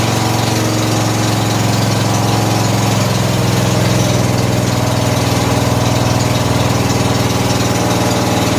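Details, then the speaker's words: 14 HP Briggs & Stratton in a Murray riding mower whose flooding carburetor put gas in the oil: a steady, even low putter with no misses or knocks at constant speed. Idles cleanly; a small backfire was likely gas in the exhaust. "ah so good sounds good that little backfire was [Music] you know it could have some gas in the exhaust"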